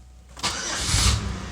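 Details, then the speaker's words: Car whose starter keeps grinding after the engine starts: a harsh, gritty grind rasps over the crank before the engine catches. A Bendix fault is suspected, not confirmed. "it also has a bad starter because turned off after the car starts you could hear it grinding like something's wrong with the Bendix or I don't know"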